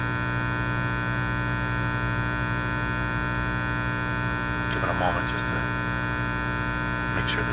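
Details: Teletone 67-600E record player amplifier. A steady low hum with a buzzy edge comes through the speaker. Reversing the mains plug and switching between the wall and an isolation transformer made no audible difference.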